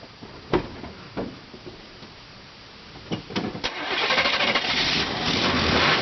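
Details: Chevy truck after fixing a loose wire on the starter solenoid and reconnecting the battery: a few sharp clicks and cranking, engine catches and settles into a steady even run; starts cleanly.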